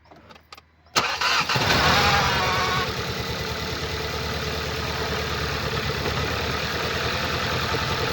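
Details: 2014 Skoda Octavia RS, 2.0 petrol CHHB, 162 kW, 196,743 km: engine cranks, catches, then idles with a steady low chuffing stumble, a cylinder 3 misfire caused by a defective ignition coil and spark plug.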